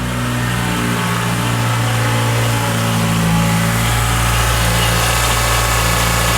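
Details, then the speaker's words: 2012 Toyota Camry 2AR-FE, not yet warm, idling after replacement of a failing upper timing chain guide that had caused grinding: a steady, even rumble with no grinding or chain rattle. It sounds healthy. "That's much better. I like how that sounds good."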